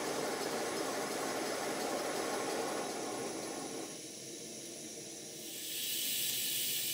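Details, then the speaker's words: 5-inch gauge GWR 14XX model steam locomotive, first steam test on gas burner, safety valve set at 90 psi. Steady hiss with quick beat about four a second, easing as the pump bypass valve is opened returning water to the tank. "you can hear in this clip that the beats are slightly uneven now watch and listen in this clip as I open the bypass valve to let the water back to the tank"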